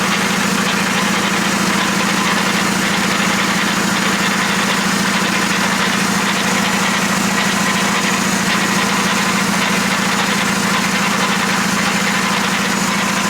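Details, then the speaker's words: VW Jetta SportWagen with transmission rebuilt for 4Motion conversion: steady rough mechanical drone under the running engine with faint uneven churning; transmission sounds unhealthy after reassembly, cause unknown. "completely taken apart the transmission put it back together and as you guys probably heard it doesn't sound very good or very healthy so i'm a little bit disappointed in myself"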